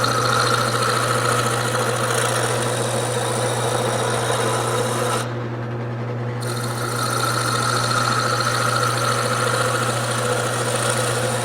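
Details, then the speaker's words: Wood lathe turning a blank that is not yet fully round: motor hum under a raspy cut with an uneven knock about three or four times a second, where the tool can be felt bouncing. A round blank would cut smoothly. "so if this bounces in any way and I can feel it bouncing that telling me that I'm not quite there yet Hear That Knocking Noise Okay it shouldn't it should be smooth and that way I know it is completely round"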